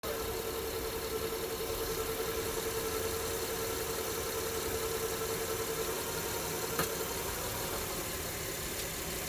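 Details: 2006 Honda Pilot: thin steady whine at idle on startup and in Park and Neutral, gone in Reverse or Drive, seeming loudest from the transmission; owner plans stethoscope check, drives fine without slipping.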